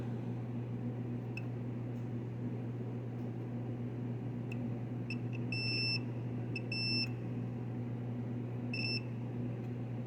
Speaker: So what we're doing is checking continuity on the compressor. We have our meter set on continuity, and we should have an audible beep between each of the prongs.